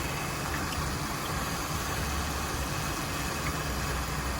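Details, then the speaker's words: Newly bought car idling: uneven, lumpy idle with loping low beat under steady hiss; running rough as it has been, cause unconfirmed, oil pressure sensor or distributor-like part suspected. "see right there it's running rough this what it's been doing"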